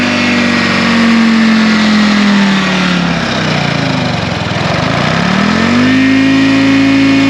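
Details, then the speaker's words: 1960 John Deere 440 backhoe, supercharged two-stroke Detroit Diesel 2-53 freed after sitting locked for years: strong high-pitched blower whine, revs dip and climb smoothly with even firing; about 50-60 psi oil pressure, running healthy. "this thing sounds awesome you hear the supercharger this thing's flipping cool"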